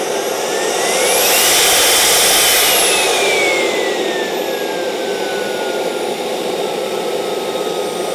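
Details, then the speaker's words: CARF Rebel Hot RC jet's newly installed turbine during the throttle check. A high whine climbs smoothly, holds, then eases down without surging or rattles. Normal turbine run-up. "all good we do a restart check 4 5 5 6 we're at half throttle"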